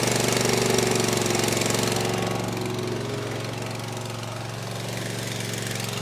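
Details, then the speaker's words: Gravely ZT HD 52-inch mower, Kawasaki FR691V 23 hp V-twin, first start after head gasket replacement, choke on, full throttle, air filter off: strong, steady even roar with no knock or miss, burning off oil; running well. "You hear she's running real good. Just burn off a little oil."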